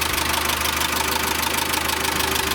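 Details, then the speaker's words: VW Caddy 2.0 BSX petrol engine with factory methane and higher compression, warm at idle after new Bosch leads and NGK plugs: a fast light ticking of one or two valves over the hum; hydraulic lifters suspected, absent at morning start. "Но при этом отчетливо слышно стук клапанов. Сейчас я пойду в сторону и будет слышно. Вот. Если прислушаться, слышно, как один-два клапана у нас тарабанит."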